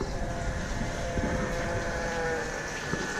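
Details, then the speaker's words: 2014 Mercury 115 hp four-stroke outboard, key on without starting: a steady faint hum with a few fixed tones and no rattle or surging; the low-pressure lift pump primes normally. "that's working I can feel vibrating right now that's what you want to hear because if it had no feel inside here usually when you go to cycle your keys it will do a self check it will turn it on for maybe two seconds and that shuts off that right there my friend tells me the pump's working"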